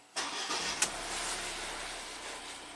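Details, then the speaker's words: Ford EcoBoost van with intermittent P0106 MAP performance code, restarted after stalling in the garage: engine fires with a brief stumble, then an uneven idle; cause not yet found, fuel pressure, GDI pump or cam VVT suspected. "okay kind of stumbled a little bit so I'm going to slowly raise the RPMs see what happens"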